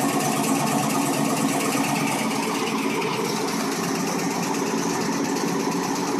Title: Cold start g8 ticking noise